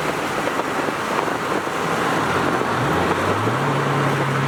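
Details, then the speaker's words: Subaru STi after an AVCS fix and a rear subframe lockdown bolt install: the engine pulls smoothly with rising revs through gear changes, and the clunk between shifts is gone; normal drivetrain. "Well, definitely helped out a lot. For sure, you can tell already. You don't hear that clunk in between shifts."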